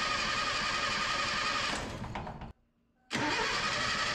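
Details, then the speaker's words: 1977 Datsun B210 first start after fuel and ignition system cleanup: fast steady cranking with uneven catches as cylinders try to fire, a brief pause, then cranking resumes; engine close to starting. "oh it smells hey it sounds like it's going to start wow that's great there's a lot of smoke in the shop"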